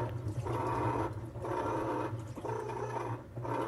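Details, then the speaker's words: Maytag/Whirlpool top-load washer viewed from underneath: shaft turns and moves water but stalls when agitator is held by hand; motor drone rises and falls in roughly one-second wash strokes, clothes not moving, pointing to a likely slipping bad transmission. "you should see the clothes they should move if they're not moving chances are bad transmission"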